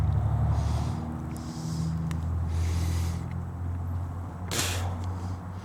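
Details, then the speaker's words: Chrysler 360 LA V8 (in a 1929 Chrysler) cranking on the starter after flexplate and torque converter mods, not warm; deep uneven churn bogging down slightly as oil hits parts; 33–35 psi oil pressure while cranking, good compression. "you could hear it bogging down a little that oil is hitting stuff"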